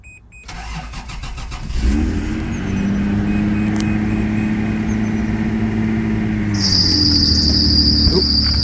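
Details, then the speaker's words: 1984 Toyota Celica Supra, 98k miles, cold start after about 2 weeks unstarted. Cranks and catches into steady idle, then a thin high squeal holds on top; worn drive belt the owner needs to change. "there's that belt I need to change no smoke today"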